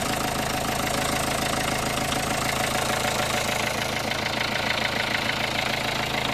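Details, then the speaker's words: 2003 Renault Scenic II 1.5 dCi 60 kW diesel, rough and vibrating at cold start, idling after battery terminals were tightened and the ECU secured: steady clatter of about two ticks a second with slight shaking; owner suspects something loose. "I still can feel some vibrations which is strange"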